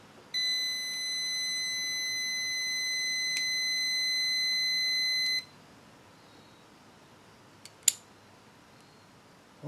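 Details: 1974 Honda TL125, setting points ignition timing with a continuity beeper: steady high beep lasting about five seconds at the firing mark shows the points still closed, so timing is slightly late.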